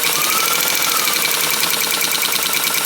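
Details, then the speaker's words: 1923 Singer 99k restored sewing machine while stitching at a shorter stitch length. Rapid, light, rhythmic ticking keeps pace with the stitching, with no grinding or heavy knock; it is normal hook clicking as the hook knocks back and forth. "The way that the hook moves, it knocks back and forth."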